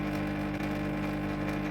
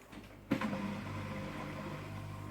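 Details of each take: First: Canister aquarium filter running at 62–63 dB, before repair: a loud, steady buzzing hum as the impeller rattles on its snapped impeller rod. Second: Aquarium external canister filter after replacing the broken impeller rod: a click at start, then a soft steady low hum with no rattle or grinding, measured at about 55 dB.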